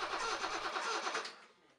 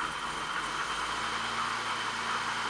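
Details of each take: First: BMW E28 M535i after long storage, cranking: steady fast starter cranking with no firing; no spark at plug, traced to unplugged upper crank position sensor connector, after reconnecting it sputtered. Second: BMW E28 M535i first start after sitting a long time, after refuelling, exhaust fitted and crank sensor refitted: engine catches and settles into a steady, even idle with a faint high whine, then shuts off; runs smoothly.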